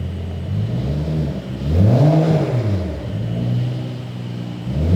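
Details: 2011 BMW 535i xDrive F10 with freshly rebuilt and reinstalled N55 engine, first run: engine catches, blips up and settles into a smooth steady idle with low even hum; no knocks, ticks or oil leaks.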